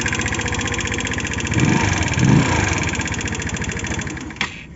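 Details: 2013 Omax 150cc scooter, 9,657 km, idling: a quick, uneven tapping knock over the engine note, about four per second; it still rides, and the cause is unknown; the owner notes a weak battery and hard cold starts.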